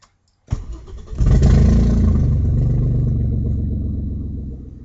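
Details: Audi A4 2.8 12V starting: cranks and catches into a loud, deep tractor-like chuffing rumble that settles with revs; exhaust leak just after the flex pipe and before the cat leaves one bank open. Later repaired.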